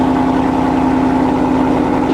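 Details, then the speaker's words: Mercedes W204 C63 AMG M156 V8, warm start after being hydrolocked with fuel from an injector stuck open: steady, even warm idle with a constant low hum and no knocks, misses or hunting. "warm start okay still sounds good when it's warm"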